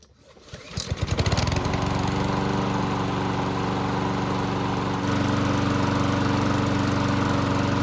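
Mower catches after a few pulls and settles into an even drone with no hunting or surging; engine runs steady.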